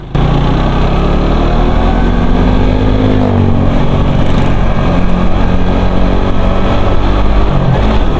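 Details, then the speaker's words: Suzuki GSX-R150 with new piston set and cam chain, pinged until fuelled with Shell V-Power Nitro: strong smooth roar at high revs, faint new-chain whine, no pinging; normal running. "Lebih kedengaran suara nging gitu kayak mesin eh mesin kayak kerate yang masih baru. Suara rantai-kata yang masih baru gitu kan nging agak-agak nging gitu kedengaran lur sebelumnya itu suaranya kelitik-kelitik kasih kelik."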